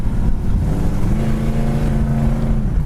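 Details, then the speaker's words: 1969 Plymouth Road Runner, automatic transmission, driving: kickdown drops third to second, engine note jumping to a higher steady pitch as the gear changes cleanly; kickdown working normally. "if you can hear that the kick down kicks right down third to Second"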